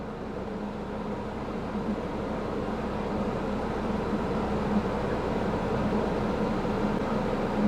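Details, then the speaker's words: Ford Escort 1.6 16v at idle as the air conditioning is switched on: a steady four-cylinder idle that settles heavier as the compressor engages, but the system is not cooling and needs gas. "Let's try to turn on the air conditioner and see if it changes, because if it does, then the air conditioner is working. I can hear the idle drop, so the pump is"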